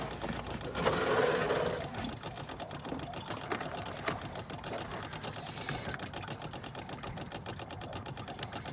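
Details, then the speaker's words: 2013 Ford Focus MK3 1.6 TDCi: a battery-powered pressure bleeder pump bleeds the clutch after a clutch, flywheel and slave cylinder replacement. A steady, rapid buzzing pulse, a little under four per second; the pump is building pressure normally. "wait until that stops clicking and then we can go ahead and release this valve"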